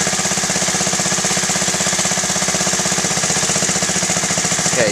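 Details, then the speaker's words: Honda Z50A Mini Trail 50 single, freshly rebuilt carb: fast idle with an uneven, hunting beat that stumbles because the pilot air screw is turned past its best point. "so see that? It's stumbling again, so I want to go back out."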